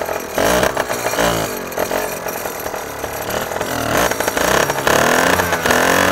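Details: Basstender 10.2 with small two-stroke outboard, homemade throttle linkage, carb cleaned two weeks earlier: buzzy note rises and falls with throttle and picks up cleanly without stumbling; normal running, though the kill switch acts up and its ground needs checking.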